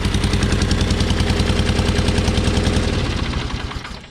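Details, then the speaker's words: John Deere 420 parts tractor, warm engine, fitted with sleeved PTO clutch: heavy lopsided thumping at slow idle, pulling one spark plug lead causes no change; apparently running on one cylinder, spark problem suspected. "Now I want you to notice something. You hear anything missing? I do."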